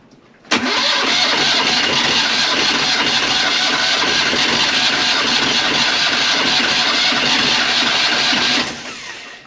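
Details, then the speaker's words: Sailboat engine cranking slowly for about eight seconds, laboured and dragging without catching; owner suspects the starter battery lacks punch and plans to replace it, not confirmed. "you could hear how I was struggling uh and I think it's just that starter battery doesn't have enough punch"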